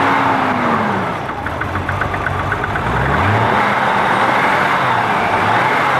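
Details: BMW M20 engine on its first start after the fuel system was resealed: the revs rise and fall in uneven swells and never settle to a steady idle. Engine won't idle.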